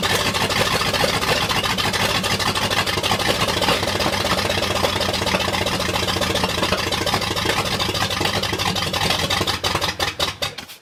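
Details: 1979 Ford F-250, brand-new 351M V8 first start on open exhaust manifolds: runs ragged and uneven about ten seconds, then sputters a few chuffs and dies; owner suspects timing off and storage-gummed carb.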